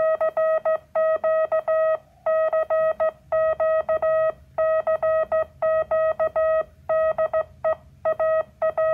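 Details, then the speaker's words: Homebuilt Morse practice oscillator (multivibrator with an added RC filter): a clean, steady mid-pitched sidetone keyed in Morse rhythm with no buzz or warble. It sounds smoother than the unfiltered 555-timer squeak of an MFJ 557 practice key. "So by having this circuit with the RC filter, I get a nice side tone. Isn't that a pleasant? That's just a nice, pleasant side tone."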